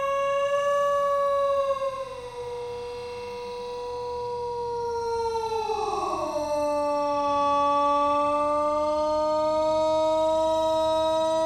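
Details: Thunderbolt tornado siren, still broken: the rotating tone wavers and sags, dropping sharply in pitch midway then holding low; it can't hold speed, bad bearings dragging.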